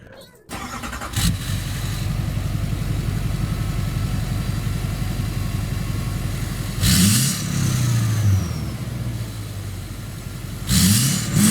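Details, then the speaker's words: Friend's turbo diesel with 4-inch exhaust all the way back and wrapped downpipe: starts and settles to steady idle, then two quick revs with rising turbo spool whoosh; sounds healthy. "Yeah, it sounds really good. I really like how that turbo spool."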